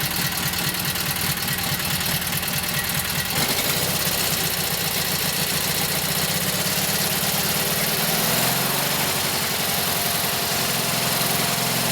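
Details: Kohler KT17 twin after a lost-governor repair, warming up at idle on its first run; it settles into a steady, even idle with a regular firing beat. Runs smooth and healthy.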